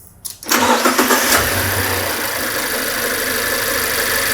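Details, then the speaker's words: Engine with a definite misfire, rough uneven idle after start, recorded during non-invasive pressure transducer testing connected at the dipstick tube for crankcase pressure. "You should be able to hear that there is a definite misfire here"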